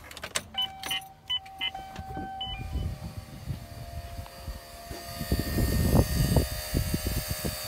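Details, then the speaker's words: Black Bandit electric brake vacuum pump added to a Silverado because a Comp Cam 54-454-11 reduced booster vacuum: a few relay clicks, then a soft, steady whir with light pulsing as it pumps, quiet and healthy, filling to 22. "So you'll hear this kick on, it's the pump pumping air. We're going to fill this up to 22 psi."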